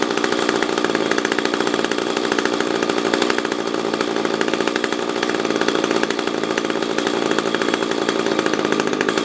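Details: SRM-210 string trimmer after carburetor replacement with new fuel filter, spark plug, fresh gas and new handle: fast, crisp two-stroke buzz holding a steady, even note with no stumbles or surging; runs normally.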